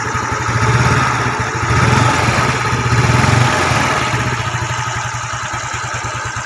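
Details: Yamaha Nouvo scooter with a 54.5 mm piston and custom camshaft, stock head, valves, carburetor, exhaust and air filter. Revs up and drops back cleanly with even firing, no knock or rattle. Healthy revving.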